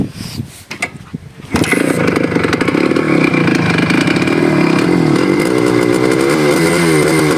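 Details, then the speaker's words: Suzuki Shogun two-stroke with 1.25 oversize bore piston that seized overtaking at 120 km/h, ridden back at 30: after handling knocks it fires into steady buzzy running, no seizure knock or bore noise; owner will rebuild if pickup drops. "ನೀವೇ ನೋಡಿದ್ರಾ, sound ಅಷ್ಟೊಂದು ಬರ್ತಾಯಿಲ್ಲ. ಓಡಿಸ್ಬೋದು, ಎಷ್ಟು ದಿನ ಬರುತ್ತೋ ಅಷ್ಟು ದಿನ ಓಡಿಸ್ತೀನಿ."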